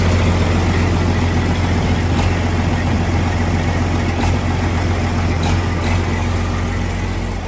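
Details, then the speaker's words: Detroit Series 60 diesel swapped into a truck, first start after priming fuel, no coolant yet: deep steady idle with a smooth low rumble and occasional light pops as air works through; otherwise runs clean. "Well, runs. It runs, guys. says there's no coolant, so we, you know, can't do a lot. But we got her primed up, fuel's in the system, and uh she cracked off. You hear it kind of a little farting and this and that as it works some air and some things through."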